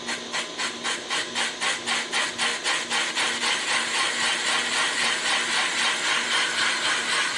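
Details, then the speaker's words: Van Norman 777 boring bar on power feed, light cut: rhythmic scraping pulses about four a second at start due to an uneven, wider-in-places top chamfer, then smoothing into an even hiss; otherwise a healthy full clean cut. "So they've got a wicked chamfer on the top of this, and it's not really even. Some of it's wider than the other. And that's why when it starts, it doesn't sound like it's even."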